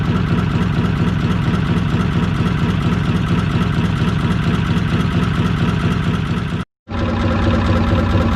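Steady, even tick-over with a soft regular pulse, no clatter or misses; this small inboard petrol motor is idling healthily.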